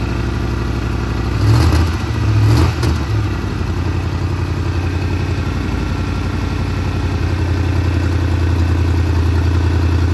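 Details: Big-block Monte Carlo street car, just got running and timed after rear end install, distributor still to be tightened: steady even low rumble at smooth idle with a couple of brief blips early, no misfire or knock; normal running.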